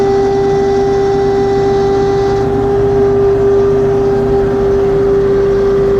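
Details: LS XR3135C tractor running: steady mid-pitched hydraulic whine with fainter higher overtone; problem persists after two dealer visits, cause unknown.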